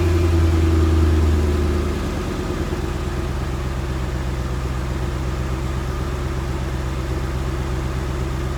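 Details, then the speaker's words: 1989 C4 Corvette V8, stock exhaust, cold start after sitting a couple days with Seafoam in the fuel: catches and settles from high cold fast idle to steady even rumble within two seconds; runs clean. "It's nothing special. Obviously, Corvette's stock exhaust is not that impressive, but it's been sitting for a couple days, so the startup may be a little rough, and I've also put some seafoam in the fuel, so you may see some smoke coming out."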